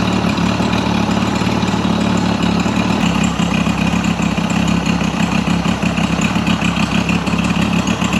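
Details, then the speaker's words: Mercury 50 hp outboard after rebuild and timing set: smooth, even idle with steady beat, no stumbling, popping or misfire; sounds healthy, idling about 7800 RPM on the timing light divided by two. "The motor sounds much better now that the timing is supposed to be where it's at."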